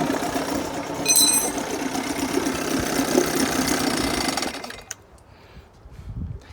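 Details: 1980 Chrysler Sea King 15 hp two-stroke outboard, cold, after replacing ignition coil to cure quarter-to-three-quarter throttle misfire: revs up cleanly and holds steady with no stumble, then cuts off; responsive, no hesitation.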